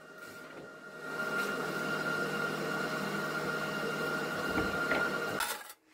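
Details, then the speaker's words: MIG welding thin auto-body sheet metal, voltage raised to setting 4: uneven crackling arc with irregular pops about three times a second instead of a smooth sizzle; the voltage is still too low. "Increasing the voltage really helped. But you can still hear popping. The arc sound is inconsistent."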